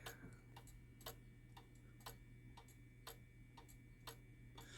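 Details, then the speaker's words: Shanghai 555 pendulum clock after reassembly, leader turned so pendulum hangs properly, case level: clean tick-tock about two beats a second, evenly alternating with steady hum; in beat, running properly. "And it's level. And it's got an even tick."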